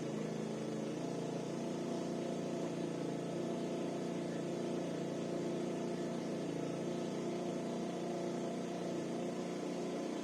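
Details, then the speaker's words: SYM 50cc four-stroke scooter that would not start, after valve adjustment and carburetor cleaning; warmed up with idle adjusted, buzzing steady and even with light revving, no misses or knocks, and seeming to start well when warm. "Am lăsat trotineta să se încălzească și am mai reglat puțin ralantiul. Se pare că pornește destul de bine și când este cald."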